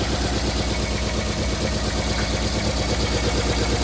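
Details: 1990 Toyota Corolla LE sedan, 4A-FE engine: loping idle with a regular stumble, about three beats a second in the exhaust pulse; misfire from a blown head gasket.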